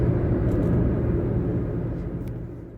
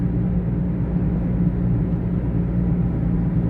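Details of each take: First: Taxi driving down the road at steady speed, the day after a worn wheel bearing was fixed. Even, low road rumble with no hum or growl rising with speed; the wheel bearing now sounds quiet and normal. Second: Taxi driving at cruising speed. Steady, deep droning hum under road rumble, like a propeller plane sound effect in a movie; worn wheel bearing drone.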